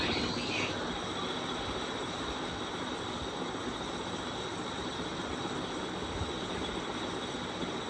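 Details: 1994 SMC GEC 120 cm ceiling fan on high speed: steady dry rumble with gritty hiss and no clean hum; very bad, worn-out bearings.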